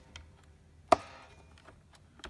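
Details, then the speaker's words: Neato robot vacuum, wheel moved up and down by hand after refitting its motor and wheel assembly; one crisp click of the micro switch with faint ticks in a quiet room; normal micro switch click. "Okay, and I'll move nice and smoothly. Now that one activates the micro switch, as you can hear it clicking."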